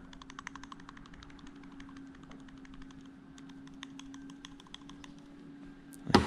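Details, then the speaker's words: Mazda Miata (NA/NB) timing belt tensioner removed, light uneven clicking as its worn bearing with play is rocked by hand over a low hum; cause of rattle-clunk under the timing covers, fixed by a new tensioner. "so they're just little bearings and what happens is as they wear out they develop some play in the bearing you can hear"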